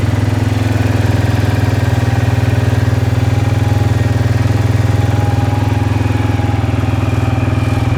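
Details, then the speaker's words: Suzuki Vinson ATV with a freshly rebuilt single-cylinder engine, not yet broken in, on first run after installation; steady, even thump at about 2.5 beats a second, no knocks or misses: normal idle. "We did it, guys. All that hard work, it's running awesome."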